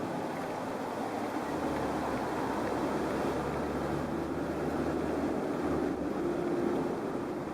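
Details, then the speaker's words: Vehicle at cruise with wind noise coming from the right door after repeated door and door-lock repairs: steady rushing, almost whistling air, louder on the right than the left, like an air leak; it happens even at low speeds in a breeze. "definitely hear the almost whistling of the air distinctly coming from the right side of the vehicle compared to the left side of the vehicle"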